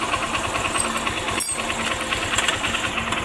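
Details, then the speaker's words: Honda Shine motorcycle idling with a newly fitted timing chain; uneven light metallic rattling about twice a second at fast idle, intermittent, because the cam chain tensioner is not working and leaves slack; cam chain rattle from faulty tensioner. "ने लगता है यह जो आवाज दोस्तों यह timing चैन का आवाज है और मैंने हारी अलार्म उसका टाइमिंग चैन है डाला है तो फिर भी यह आवाज़ क्यों कर रहा है भेजो आवाज कर रहा है यह टेंशन में की वजह से इसका टेंशन हर काम नहीं कर रहा है"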